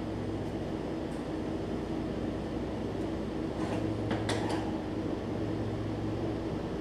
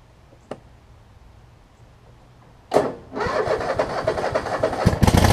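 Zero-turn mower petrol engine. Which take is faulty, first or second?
first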